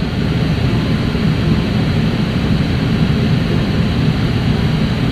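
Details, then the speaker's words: Engine started on a battery that showed low voltage: loud, even low rumble with no misses, knocks or rattles; runs smoothly after starting. "let's see what the uh starter tells me when I turn it [Music] over oh she sounds good coming right along"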